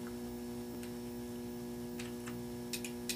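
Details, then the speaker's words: Automotive relay tested out of the car, coil energized with jumper leads from a battery (polarity irrelevant) or a power probe: sharp single clicks each time the coil gets power, over a steady hum, closing the higher-amperage switch; relay working normally. "that relay clicking see if we can get a good shot of that there we go if you guys can see that relay activating so we're energizing the coil and it's closing the switch for the higher amperage circuit"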